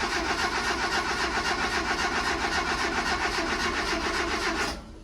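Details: 1978–81 Mazda Bongo (E1600) van/ute with newly fitted aftermarket ignition key: fast even starter churning for several seconds, then cuts off without catching; cranks but does not start.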